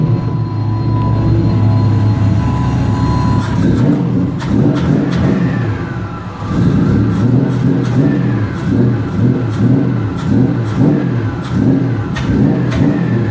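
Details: 1999 Nissan Frontier SE, turbocharged VG33E, newly built and run without coolant after the AFR was leaned toward 14: revs rise cleanly and settle smoothly between blips, with no misfire or knock. It sounds healthy, and the turbo keeps spinning afterward.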